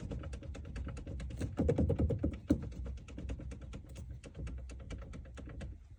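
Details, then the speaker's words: VW Caddy cabin: light hollow taps repeating about twice a second from the steering column; pressing the shaft with one finger stops the knock, releasing it brings it back, indicating play in the steering column shaft. "одним пальцем здесь нажать на вал и ничего не стучит отпускаешь стучит"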